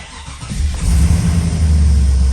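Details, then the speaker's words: Holden VT Clubsport V8 being rebuilt after a wreck, start the day after a stuck lifter ticked loudly until warm: catches quickly into a deep even idle, no top-end tick this time; healthy. "oh no dramas this time"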